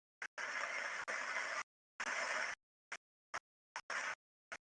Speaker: and you can clearly hear that the bearing is now getting more and more under stress as as it's getting more and more grease uh added to it and the friction on the inside increases